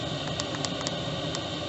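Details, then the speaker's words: Chinese diesel heater in a 1988 Toyota Hiace campervan turned down, fuel pump slowing toward 1.4 Hz for normal economical use; steady fan hiss with soft spaced pump ticks; running normally at low output. "is put a straight there you go 1.4 hertz will take a little while to slow down but then you can get a better idea of how it will sound in normal use"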